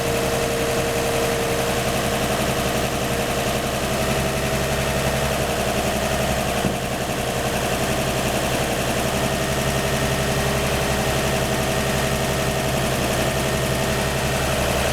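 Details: 1949 Chevy 3100 with a 1954 235 six, idling after the leaky exhaust donut at the front Fenton cast-iron header was replaced and tightened: smooth, steady idle with an even low rumble and no puffing or ticking at the header.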